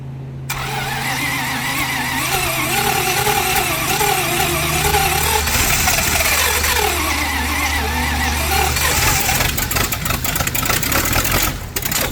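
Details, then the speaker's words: V8 Chevy in a Curtiss P6E replica biplane, unrun for 22 years, after a final timing and carburetor adjustment. A rough, loud engine catches and settles into a busy, steady run; the revived engine runs on its own. "America! Fire breathing, spitten V8."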